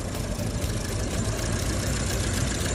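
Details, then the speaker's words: Car with rough idle despite throttle cleaning, oil change and oil pump replacement, heavy exhaust carbon: uneven, lumpy idle with irregular thumps and violent shaking; oxygen sensor suspected, not confirmed. "sure enough the shaking was so violent I'm now 90% sure it's the oxygen sensor problem"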